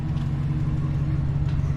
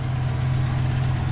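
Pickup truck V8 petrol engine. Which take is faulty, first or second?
first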